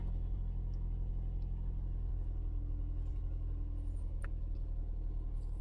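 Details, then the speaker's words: 2011 Toyota Yaris 1NZ-FE after DIY tune-up and battery reconnect: steady, even low rumble with no knocks or misses as the fast idle eases from about 1,500 down to 1,000 rpm on its own (normal 700–900); healthy idle. "Nah, dia turun sendiri tuh, teman-teman. Sampai ke 1.000 ya. Dia itu normalnya di antara 700 sampai 900 ya, teman-teman."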